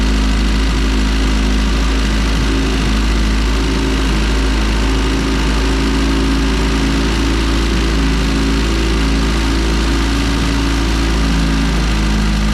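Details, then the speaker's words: EF hatch running E85, after new spring-type LMAs and a valve adjustment: loud steady running with a busy, uneven rattle over the drone; top-end noise persists, cause unknown. Top-end rattle and knock. "This is like really upsetting me because we changed the LMAs, which I thought was the issue. We also did the valve adjustment, and the noise is still there and is still persistent."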